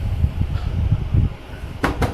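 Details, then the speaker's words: Midea 9.5 automatic washing machine, empty drum in spin mode: uneven low thumping about five times a second as drum shakes and wobbles unstably; worn absorber/suspension springs, to be replaced. "Tengok nampak tak dia bergegar kat dalam tu dan nampak tak stabil tu. Bergegar dan tak stabil."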